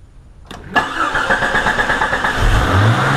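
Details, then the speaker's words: Older Jeep Cherokee XJ 4.0 before the throttle body fix: cranks, catches and holds a fast idle that climbs further instead of settling. High idle from the throttle plate setting. "now if you have an older Jeep that has high idle problems like most of us do then I'm gonna show you how to fix it for free"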